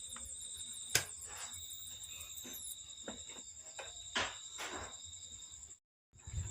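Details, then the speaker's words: Polytron TV powering on but not turning on, standby light on, with a steady piercing whine near 8 kHz and scattered clicks; B+ measured 117 V and secondary voltages dropping; failed flyback transformer (slim type BSC 25-0223N), fixed by replacement. "Power menyala lur, dan ada bunyi berderit, dan TV pun juga tidak bisa menyala."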